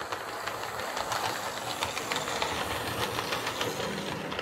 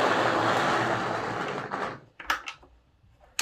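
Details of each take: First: Lima L201645 Class 55 Deltic model locomotive after filing plastic flash off gears: light even whirr with soft rail clicks, no grinding or gear chatter; running much quieter and smooth. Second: Lima Class 55 Deltic model loco, secondhand sold as non-runner, first test on track before any cleaning: small motor whirs, bogs and fades, isolated clicks as it struggles; dirty commutator and gears, wheels filthy.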